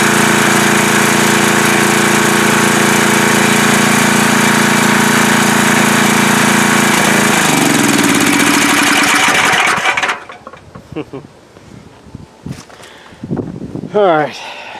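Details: Coleman Powermate MAXA 5000 ER generator after carburetor work (needle from new carb fitted to old one, air-fuel mixture leaned out): steady, even drone at constant speed for ten seconds, then switched off and winds down; runs well, possible faint clinking under front cover.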